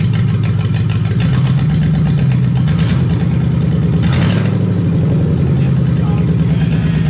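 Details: Lexus 1UZFE V8 barn find, first start after standing 6 years, running before going into a Jeep KJ, with ATF in the cylinders causing smoke; deep, steady idle with a faint lope that settles and holds. Normal idle.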